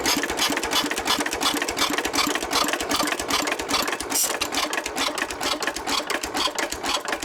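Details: 1923 3.5 hp Emu engine (rebadged Hercules, restored early 1980s), first start after 20+ years in the shed: quick, regular mechanical clatter at a steady pace with no misses or surging; old single-cylinder engine running healthily.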